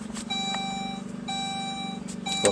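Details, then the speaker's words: Saab OG 9-3, engine off, after fuel filter replacement: the key is cycled to prime the fuel pump, filter and line before cranking; a clear electronic chime repeats in short even tones, the normal key-on warning. "cycle the key a number of times is what that knows the fuel pump relay will activate the fuel pump for a number of seconds and it will time out so you don't want to just crank it"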